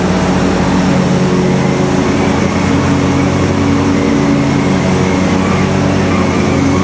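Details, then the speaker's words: Kohler twin-cylinder engine on Simplicity Stallion zero-turn, after head gasket and carb work, new muffler installed: steady even drone, no misses or knocks, RPM maybe a hair low; runs normally. Slight whooshing noted, leak-down test planned. "Does sound like the RPMs are maybe just a hair low, but other than that, it runs just great."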